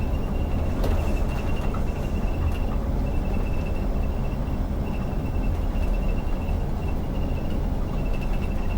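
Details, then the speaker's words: Interior rattle in an Iveco Crossway coach driving empty (haut le pied) from Les Portes en Ré to Loix, Île de Ré: faint irregular clicks and ticks over steady road rumble and a thin whistle, source unknown; the driver has the same noise on his school coach. "je sais pas d'où il vient ce bruit je suis désolé vous allez peut-être entendre ça toute la vidéo et je peux rien y faire"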